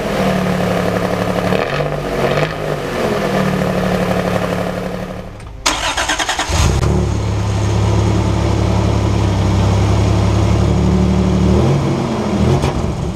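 Engine cranks and fires, then idles with a deep, steady exhaust and blips once, with no ticking or hissing leak.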